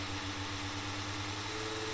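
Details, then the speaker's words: Old HP Pavilion DV6 laptop cooling fan, uncleaned for 12 years and clogged with dust, run off a 5-volt charger, gives a steady coarse buzz and crackle over its airflow hiss, likened to a diesel engine. "ne sais pas si vous entendez ce grésillement mais c'est vraiment chiant"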